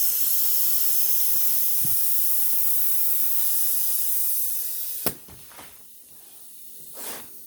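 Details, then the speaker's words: Lawn mower tire being reseated on its rim with a quick blast of air; a steady, loud hiss of escaping air for about five seconds; the tire is leaking at the rim and may not seal. "I hear it leaking. Right here. I'm going to put a whole bunch of air in it and set it outside so it gets warm."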